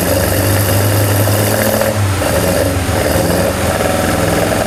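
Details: BMW M42B21 four-cylinder engine ("Mighty Mouse", E36 build) after oil pump replacement and oil refill: catches and settles into a steady mid-pitched idle with a light hum over the top, no knocking. Normal start and idle.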